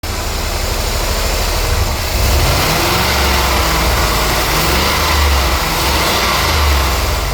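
Petrol engine idling and blipped with an uneven, stumbling beat: a misfire from an ignition coil leaking spark.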